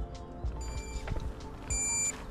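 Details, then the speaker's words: LAMAX eRacer SC50 electric scooter, switched on, turn signal active; steady high ticking beeps at the blinker rate over a quiet background; indicator sound working normally. "keď už mám kolobežku zapnutú tak môžem vám ukázať tie blinkre ako Počujete Máme tam zvukový signál plus nám to tu"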